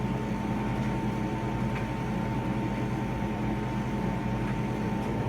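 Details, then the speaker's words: Whirlpool WED9290FW full-size ventless heat-pump condenser dryer: heat pump keeps spinning with the cycle paused, steady low hum with a constant faint whine, a little louder than typical but smooth and even; normal operation. "So you can hear the heat pump. We just paused the cycle, and you can hear the heat pump still spinning, so I'm going to restart it. It's a little bit louder than typical."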